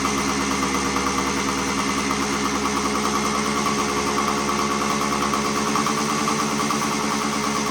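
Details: 1975 Suzuki TS125 two-stroke single, stored for a while; previously broke up past half throttle. After turning in the air screw, warmed up: steady even burble, crisp ring-ding, no misses or surging; clean idle.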